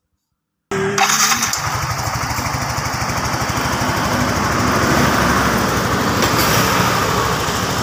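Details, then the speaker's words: Motorcycle engine reassembled after a piston install, with cam and timing gear set, originally rough and lacking power: after a short crank it settles into a steady, even single-cylinder putter with no knocking; now smooth. "Oke sobat semua ya sekarang untuk mesin sudah halus tinggal coba jalan"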